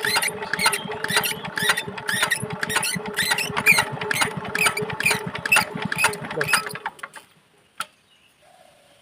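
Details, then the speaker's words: Nozzle of a 4-hp Chinese diesel engine being pressure-set off the engine before fitting, fuel pumped through: sharp crisp pops about twice a second, then stop; nozzle chatters cleanly at correctly set opening pressure. "তো finally বন্ধু আমরা নজেলের pressure বাইরেই setting করে নিলাম। এরপরে কিন্তু আমাদের engine start করার পরে কোনো রকম আর সেটিং করতে হবে না প্রেশার।"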